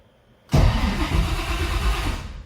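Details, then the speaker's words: 1955 Chevy project car in neutral, EFI fuse pulled so no fuel, cranking only to verify the starter turns it over and check oil pressure: starter catches at once and spins evenly, no firing or grinding; normal cranking. "I don't have the fuse in the EFI I just need to verify that it actually cranks cuz I don't remember actually verifying that"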